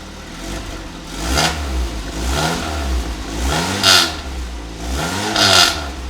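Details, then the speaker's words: Dodge Neon with an old used muffler temporarily fitted: engine blips several times, each bringing a harsh raspy exhaust drone; sounds much worse than before, and the muffler is doing little to quiet it. "oh hell no that one sounds so much worse so much worse and that's kind of the only Muffler I have"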